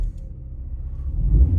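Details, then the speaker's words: Opel Astra H, warmed up, after refitting the original ignition coil in place of a faulty new one and clearing codes: deep smooth rumble swells steadily as revs climb, no missing beat; misfire gone. "Троїння нема. Бачите, як набирає оберти? Це вже на прогріто."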